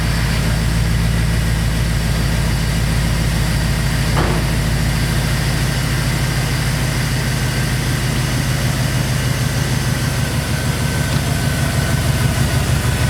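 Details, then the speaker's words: 2002 Chevrolet Silverado 2500HD, new ACDelco power steering pump replacing a labouring rebuilt unit, idling in the shop while air is bled: smooth, even low idle with no pump whine or groan; the steering sounds healthy at rest. "pretty good guy I'll to see how it goes outside"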